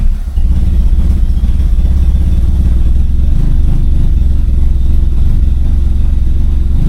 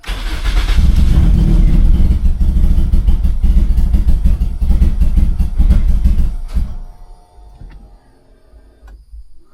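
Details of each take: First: Turbocharged Corolla after fuel pump work, intake reattached, no check engine lights: deep, steady low rumble with a slightly lumpy beat, holding an even idle without stumbling or dying; normal idle. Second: Turbo Toyota Corolla, fuel pump primed several times: long steady cranking, engine tries to catch a couple of times then dies; cranks but won't stay running, no check engine lights, owner suspects little or no fuel.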